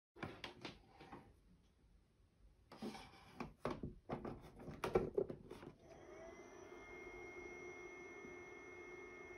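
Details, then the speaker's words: HP ProCurve 1800-24G J9028A switch, original 40 mm ball-bearing fan (TA150DC) measured by phone at a set distance: after handling knocks, steady thin whine with piercing high tones, not loud but annoying, before swapping to a Noctua NF-A4x20. "and as we can hear it's not exactly loud but it's very annoying it's not like a slow hum and like it's it's noticeable enough that you don't really want to have this in your living room"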